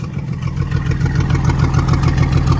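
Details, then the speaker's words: Truck with freshly ultrasonically cleaned, rebuilt Carter downdraft carburetor, idling well but feeling underpowered under load: deep, loud, raspy exhaust blare rising with revs, pulsing unevenly from a massive exhaust hole; owner suspects lost back pressure hurts performance. "massive hole in the exhaust. So back pressure is probably affecting performance there too."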